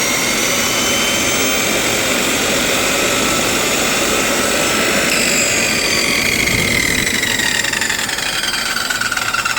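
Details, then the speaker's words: Milwaukee 6360 circular saw before repair (cut cord, brushes and three bearings to be replaced): the motor whines at speed, then a loud high squeal slides down in pitch as it coasts to a stop, worn bearings. "all right so it seems like the bearings are bad um did if you heard that uh definitely has some squealing going on"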